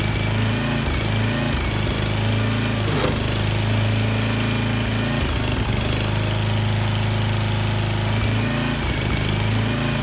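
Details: Small petrol engine on a 34-ton log splitter, bought cheap and said to be blown, restarted after the leaking hydraulic return line was reattached; it holds a steady, even low drone with no misses or knocks and runs fine.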